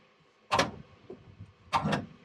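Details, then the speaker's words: 1966 Cadillac Eldorado that sat about 40 years, starter bumped via remote starter button bypassing old wiring: two brief grinding starter bursts about a second apart, engine now rotating further. Engine turned over by short starter bumps. "Oh. Oh, it's turning more now, yeah. I'm just giving it little bumps, and it rotate around."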